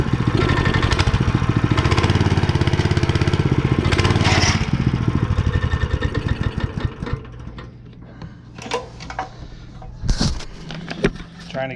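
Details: Honda GX160 5.5HP on concrete power trowel, unrun for years, running after repair with cleaned spark plug: single cylinder pops along evenly for several seconds, then drops away to clatter and handling; healthy run.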